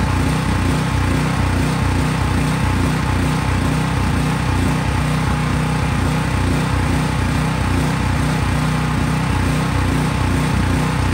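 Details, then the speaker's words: Craftsman 5000 W portable generator running after the fuel valve is shut off, burning fuel left in the carburetor; steady, even single-cylinder drone with no stumble yet. Normal running before the fuel runs out. "So as I was saying, as the generator was running, I cut the fuel."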